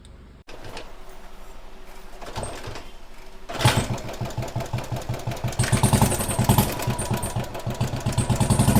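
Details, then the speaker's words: Royal Enfield Thunderbird 350, 2009 single, after head work for oil starvation and sticking valves, plus new piston rings: catches and settles to an even thump about four beats a second with a quiet top end. Normal idle. "गाइ आपने पहले आवाज इसकी check करी होगी कितनी गंदी आवाज थी और इस गाड़ी का भी हड शांत हो गया और ये और ज्यादा साइलेंट दिखाते हैं आपको"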